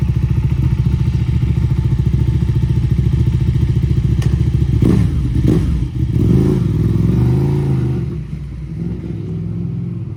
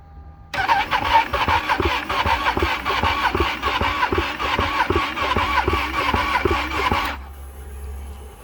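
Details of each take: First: Ducati Panigale 1299 (1.3 L twin) started after sitting all winter with battery disconnected, after much cranking: lumpy, even twin beat with throttle blips that rise and settle cleanly; running fine. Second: Ducati Panigale 1299 after winter storage with battery disconnected, first start attempt: steady starter churning pulsing about once a second for six seconds without firing; extended cranking, hard start, later push-start tried.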